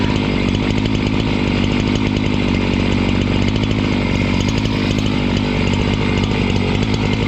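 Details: Husqvarna 268 two-stroke chainsaw, which stalled once warm and would not restart, cutting after air intake check: a loud, steady high-revving buzz held through the cut without dropping or stalling. Normal running under load.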